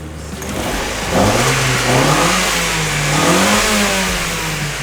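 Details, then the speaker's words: 1994 Mazda Miata auction car, after replacing a broken timing belt and changing the oil: crisp free revving with no valve-train tapping, runs smoothly; normal revving. "It's the next day. I'm still shocked that this thing runs. It runs pretty damn good."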